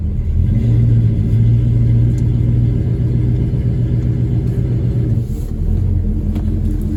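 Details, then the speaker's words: 1972 Dodge Dart Swinger with 273 V8, regularly started while sitting, idling: deep, even burble, steady beat, smooth with no knocking or ticking; healthy normal idle. "Yeah, but you can hear it. It's smooth. No knocking or ticking sounds at all."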